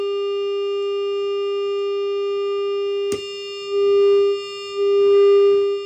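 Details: Bad Cat Black Cat 15R tube guitar amp with roasted output tubes: steady mid-pitched drone with ringing edge, a sharp pop, then a swelling howl twice before power-down; failing output tubes.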